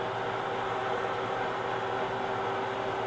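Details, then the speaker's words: Newly built hobbing attachment gear drive on first test run at about 250 RPM, high end of hobbing speed, bearings not yet oiled; even, steady mechanical hum with constant tone, slight audible noise but no catching, grinding, knocks or binding. "A3 250 RPM this would be at the high end of a hobbing speed I can hear it a little bit there but that's not bad"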